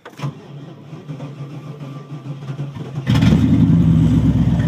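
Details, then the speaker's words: Camaro Z28 V8 donor car, 107,000 miles, cold start after 4–5 months sitting, exhaust rotted off at the cat; about three seconds cranking then catches cleanly into strong even idle at 1,000 rpm cold. Healthy start. "yeah. You gotta trust your old GMs, man. Exhaust rotted off the cat. So, oh yeah, listen to that big V8 purr, huh? What are we idling at, huh? 1,000 RPM, cold idle."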